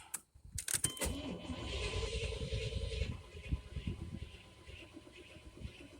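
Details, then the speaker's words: 1993 Chevy after cap and rotor replacement, key turned on with engine not running; a few sharp clicks then faint steady whir with thin high tone that fades, recurring every key-on; source unknown, possibly something unplugged. "That sound again every time I turn the key on."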